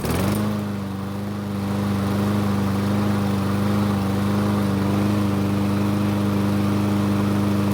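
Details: Craftsman push mower, a no-start traced to the carburetor, after fitting a new aftermarket plastic carb and a sharpened blade: fires on the pull and settles into a steady, even drone with no misses or surging; runs normally.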